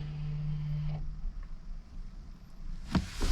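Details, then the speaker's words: Audi Q2 rear brake pads replaced; diagnostic tool commands the electric rear calipers to close: short, low motor hum for about a second then clean stop; normal electric parking brake motor operation. "Et là, c'est en train de les fermer. Donc on entend le bruit."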